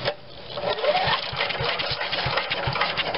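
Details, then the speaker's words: 1996 MTD chipper shredder with Briggs and Stratton 135212 5hp single-cylinder engine, long unused, freshly fueled and primed, started on fast choke. Catches and settles into even firing about five per second: normal start and run. "but let's just give it a little prime just to get it started and let's see if she'll run fast choke"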